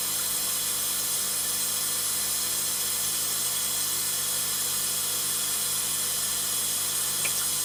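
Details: Scrapyard ice maker on its first test run, before limescale removal: a steady, even hiss of water flowing in with no pump rattle or gurgle, a normal fill cycle.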